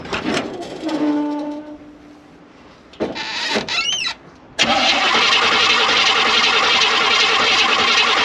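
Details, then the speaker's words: 1968 Suburban started after replacing the holed, leaking thermostat housing and refilling coolant; starter catches and engine settles into a steady, even run with no knocks or misses. "Everything's back together, water's topped off, so now we're going to start it, run it, and let it get it to operating temperature."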